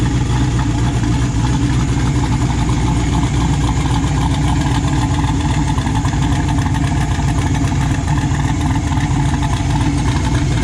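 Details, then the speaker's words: Built 408 stroker LS V8 in S10 after first start, good oil pressure: deep steady idle with even lope, no knocks or ticks; engine sounds smooth and quiet. "everything sounds good it sounds quiet engine sounds smooth"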